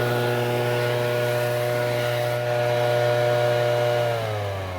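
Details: Shindaiwa two-stroke backpack leaf blower after a no-start fix that included making a new gasket: strong, steady high-pitched wail holding even at high revs, then easing slightly. Clean, smooth running with no misfire or surging.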